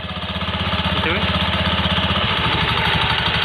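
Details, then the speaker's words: Honda Beat FI scooter, CVT cover open: quick metallic jingle over steady single-cylinder idle, from a loose plate on the rear pulley clutch lining, its fastening loose. "Ya jadi ini berasal dari bagian sini, bagian puli belakang itu yang kampas gardanya ada platnya itu kendor ini."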